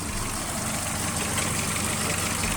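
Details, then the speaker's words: VW Jetta with idle surging, EPC light and codes P1579, P1545, P1558, after the faulty throttle part was replaced: the fault code remains but idle is steady and even with no hunting or stumbling. Normal idle. "okay, the fault code is still there, but you can see that the engine is not doing rough idle, and it's pretty much stable."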